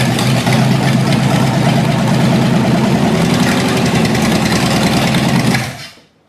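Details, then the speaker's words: Long-sitting 318 engine, carburetor junked from sitting forever, running on added gas: uneven, lumpy running for about five seconds before it sags and shuts off. Rough running from the junked carburetor. "well I'd say that ran not the best cuz that carburetor is junked but uh that's what happens when it sits for ever"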